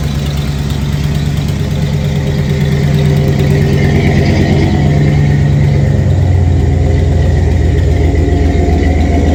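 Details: 1989 Ford F-150 at idle: loud steady rumble with a rough puffing tick in time with firing, from an exhaust leak.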